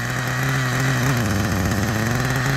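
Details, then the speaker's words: 1997 Kyosho nitro RC with cooling fan: a buzzy, soft, lazy idle with a slightly wavering beat. It is running rich with lots of exhaust smoke; a probable exhaust leak is pooling oil. There is no drive to the wheels. "yep here we go we got a lot of exhaust coming out look at this look at how rich it is"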